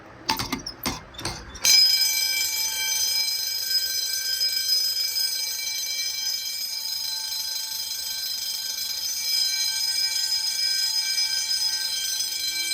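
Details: Fire-Lite MS-9200UD panel in general alarm after a pull station is activated: sharp clacks, then loud electric bells ringing continuously, with relay clicking from a Simplex Smart Sync control module.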